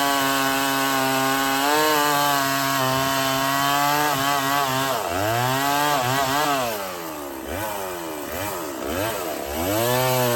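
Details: Stihl 024 chainsaw after carb tuning and makeshift aftermarket air filter, cutting firewood; screams up high, bogs only slightly into the cut and recovers cleanly, no missing; sounds good up high; normal running under load.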